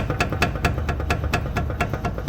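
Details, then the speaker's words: 2016 Jeep Patriot with front end noise, steering wheel shifting while driving and braking, engine idling: sharp clunks about four a second as the wheel is shaken; worn inner and outer tie rod ends. "Yeah, that's not a little bad, that's a lot of bad, and it's been like that for a while. So the inner and outer is wiped out."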